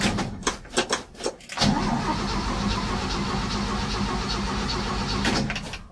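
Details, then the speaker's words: 1967 Chevy C10 barn find, 250 straight six, choke opened by hand: a few short bursts, then steady cranking that never catches; float bowl was empty, so no fuel was reaching the carburetor. "I'll put a little gas in the carb too I guess the float Bowl was empty"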